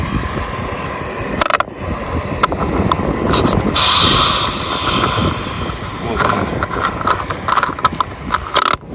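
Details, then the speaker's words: Fuel tank hissing on a 2015 Kia Rio (~150,000 km): a steady airy hiss from the tank area amid handling clatter, caused by a faulty EVAP canister purge valve; it may log rich-mixture/catalyst codes, and the fix is replacing the valve. "если у вас шипит из бака не надо ехать на диагностику тратить деньги потому что там вам покажут ошибки это богатая смесь по катализатору может 1 ленту зон показать причина проста это клапан абсорбера если шипит меняйте его сразу не думайте там пытаться что-то делать все в нем причина"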